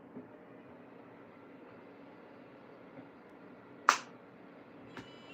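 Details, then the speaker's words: iCharger being connected with loud bench power supply fan hissing; one sharp pop as the lead connects, normal inrush spark at 50 volts. "The pop is because it's 50 volts. That's the pop that you hear that."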